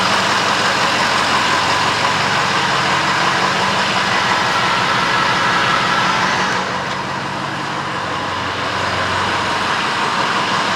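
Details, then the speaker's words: 2007 6.0 diesel after two cans of Seafoam in a half tank, quarter tank run through: steady idle with even clatter, no rough idle or surging; rough idle later returned without Seafoam. "This sounds really good. This does not have any kind of rough idle to it. So it looks like that Seafoam might have worked."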